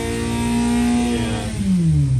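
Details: 998 engine with standard sport valves, its rattle fixed, on the dyno (about 57 ft-lb, roughly 70 hp): strong pull at high revs, then a smooth falling note as the throttle closes, with no tapping or rattle.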